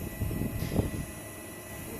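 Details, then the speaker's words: Webasto Thermo Top C parking heater wired to simple switch, first start-up: steady low whir of combustion fan and water pump running, slight smoke normal; normal start. "premier démarrage ça fume un petit peu c'est normal donc la première chose que vous entendez c'est le ventilateur et la pompe à e le ventilateur et la pome fonctionne"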